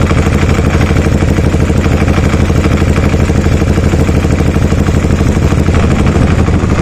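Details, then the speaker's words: Aprilia Shiver 750 at idle after adding a little more oil, clutch pulled in: loud, constant clattery rattle described as sounding like a train; rattle source undetermined. "don't know if that's just a thing it does sound like a train this sounds really rattling"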